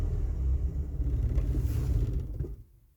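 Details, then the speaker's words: Ford Fiesta Mk3 after a first long hot drive: low, uneven idle that sags and dies within seconds once the choke is pushed in; it will only stay running with the choke or throttle held, possibly a lean mixture. "gone it will not idle at all the only way I can keep this car from actually not stalling is by having the choke on or the throttle one"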